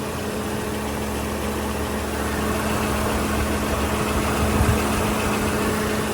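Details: Peugeot 307 SW idling after timing belt replacement, alternator service and power steering flush, charging 14 V under load, rollers and water pump checked; steady even idle, smooth low hum, no knocks, ticks or squeals, healthy.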